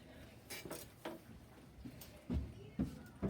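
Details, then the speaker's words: CHAOKE magnetic-resistance belt-drive exercise bike, about five months old: irregular creaks and sharp clicks roughly twice a second with each pedal stroke, despite handlebars tightened fully and packed with cardboard; squeaking and creaking while pedaling. "this is them tightened as much as they can go with a piece of cardboard shoved in there to try and make it tighter and then when you're actually going on this can hear all the squeaks and"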